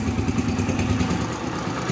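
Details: Yamaha YBR 125 (2007) with newly installed replacement engine, first start after installation: steady, even single-cylinder idle with soft regular patter, no knocks or rattles; engine running normally.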